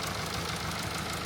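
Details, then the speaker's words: Mercedes E-Class with the OM654 diesel, idling after a new V-belt was fitted; the old belt had half snapped and was slapping around the engine bay, causing the knocking: even diesel clatter at a steady idle; running normally. "Yeah, we fitted new V belt and let's see. All good, bro."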